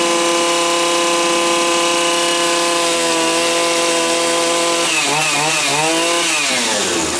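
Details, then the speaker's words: Stihl FS80 trimmer two-stroke, warmed up before compression retest, previously retired for unknown fault: high steady buzz at even speed, pitch briefly wavering near end; running really well, healthy and strong. "actually seems to be running really good I don't know why I retired it now but something was wrong with it"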